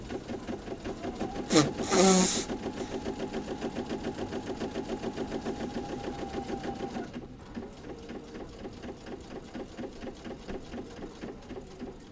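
Quick, even needle chatter at a steady rate that slows and softens near the end; the machine is stitching smoothly and sounds healthy.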